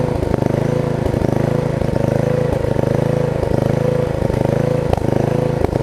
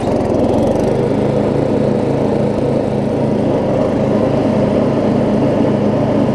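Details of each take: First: Murray rear-engine riding mower single-cylinder at steady fast idle with slightly uneven firing, burning off oil purged into the sump/air filter after the mower was turned over; blade brake also not working. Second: Murray rear-engine riding mower with new blade, driving with blade engaged; steady even drone, no surging, knock or grinding; runs good after earlier exhaust valve grind, though owner says he could have ground it more.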